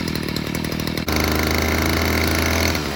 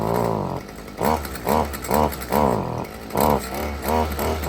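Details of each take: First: Stihl FS55R string trimmer after carburetor repair, cold start on choke then warming up: steady buzzing, picks up cleanly on throttle blip, more responsive; low-side fuel adjusted slightly, running good. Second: Stihl FS55R string trimmer, before carburetor repair, after choke start: revs blip in short bursts and sag back, never holding, then die out; bogging persists as it warms; suspected carburetor fault.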